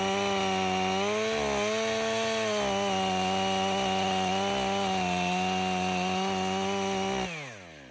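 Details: Stihl MS 500i chainsaw, 62 hours, warm, cutting frozen wood with freshly sharpened chain: strong steady high pitch through cut, no bogging or surging, winds down cleanly; healthy under load.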